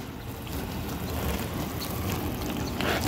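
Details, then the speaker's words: Used free dishwasher tested in a driveway, now in its wash cycle. Steady water swishing and spraying sit over an even low pump hum with no grinding or rattle, and the water is warm: normal operation. "let's open it up and see what we got oh yeah now that it's switched over to the wash cycle"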